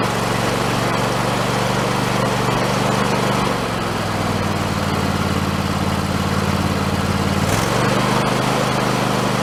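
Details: Husqvarna YTH2454 riding mower after a carburetor rebuild with a kit, started with starting fluid. The small single engine runs steady with a clean drone and one brief speed change. Sounds healthy; owner thinks the earlier trouble was just running out of gas.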